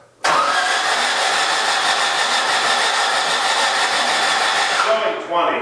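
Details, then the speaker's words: Stock 1600 dual-port VW air-cooled engine newly turbocharged, first start attempt with fuel at carb; steady starter cranking about five seconds without firing; ignition map shows about 18–20° timing at cranking, suspected too much timing, no base map. "Do I just crank it with ignition and kind of see where it's at? Yeah, let's do that."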